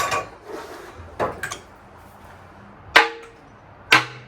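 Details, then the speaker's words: 2015 Kia Soul knocking engine during teardown: separate sharp metallic clunks as the problem piston, marked by head contact, is pushed by hand and drops; the connecting rod is loose on a worn bearing. "Yep, you could see it go down, you could hear it go down. That rod's pretty loose."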